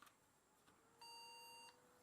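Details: Pentium 4 PC with no display, after moving a RAM stick to a different slot: two short, high, clean beeps about a second apart in a quiet room. POST error beep code; broken RAM suspected.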